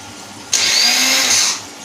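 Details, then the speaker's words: 2010 Yamaha Jupiter Z Robot, new battery at 13.0 V, ignition on: high free-spinning whir for about a second then winding down, no engine catch; electric starter motor spins but does not engage. "Apa dinamo starternya muter, tapi kayak ada yang nggak nyangkut gitu, kayak nggak nyangkut aja."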